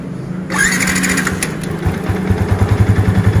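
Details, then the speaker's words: Motorcycle after starter motor repair: smooth starter whir without the previous growl, engine catching quickly to even idle; growl was caused by a dry starter shaft end, fixed by greasing. "hilang suara ngoroknya tadi kan kita ulangi lagi mantap"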